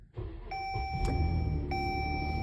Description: 2012 Dodge Journey dash lights up like a Christmas tree radio goes out and hvac comes on. It’s an over charging condition 17.88 v is what I was getting continuously.